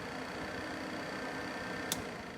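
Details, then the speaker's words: Lamborghini Countach LP400S replica, engine cooling fan rewired with new fuse, connectors and toggle switch: soft steady whir with faint hum, no rattle or scraping. Normal cooling fan operation. "all right we have everything put in now everything is connected here the engine fans coming on fine"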